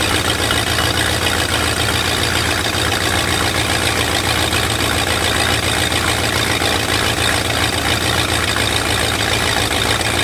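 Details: Lifted bullnose Ford carbureted V8 truck running after sitting almost 4 years, carburetor just cleaned, rebuilt and tuned: steady, even low rumble, constant idle, no misses or knocks; normal idle.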